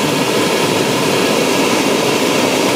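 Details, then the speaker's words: Gas burner of a 665 kg/h steam boiler lighting after the low-level safety check, with level electrodes in water. Loud, even roaring rush with no pulsing or sputter as the ignition torch lights normally, before first stage. "Donc là on a entendu la torche, quoi la torche d'allumage. On va attendre bientôt la première allure."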